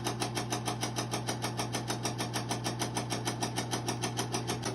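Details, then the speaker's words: Insignia NS-IMN44BS4 nugget ice maker, used, running the cleaning cycle: steady hum with a sharp regular knock about twice a second, same noise as in normal running; knocking auger drive suspected. "all right so it runs the cleaning cycle it makes the same noise"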